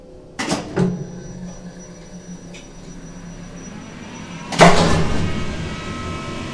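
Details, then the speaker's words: Kone MX-10 elevator lift motor, which sounds like an MX-20: two sharp clacks as the brake lifts, then a solid clunk and low motor hum; normal brake operation. "there is the mx-10 brackets 16 which is a faster version of the mx-10 and it had the same brake sound as the mx-20s this is the mx-10 it sounds like an mx20 isn't it sound"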